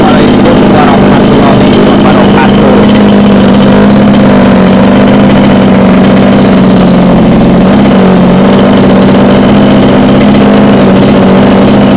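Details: Small two-stroke mini water-pump engine on petrol-oil mix, after repair of fuel starvation that caused hard starting and racing; holds a steady, even buzz at constant speed with no misses or knocks.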